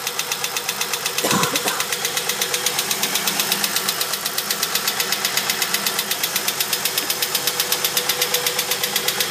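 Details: 1999 VT Berlina wagon petrol engine at 200,000 km: a sharp, steady ticking, about four a second, heard over the idle.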